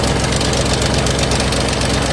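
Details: 2008 Ford Mustang GT (S197) V8 at idle after sitting a couple of months: a loud steady idle with a hard, fast ticking knock over the low rumble throughout; a really loud knock, cause unclear, and the reason the engine is being replaced.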